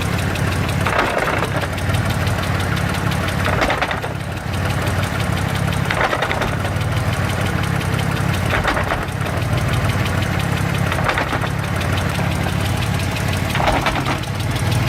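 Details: Mitsubishi 3000GT VR4 with engine running: a heavy driveline thump every two to three seconds as the clutch engages on release, a loud clunk whose source is not yet pinned down.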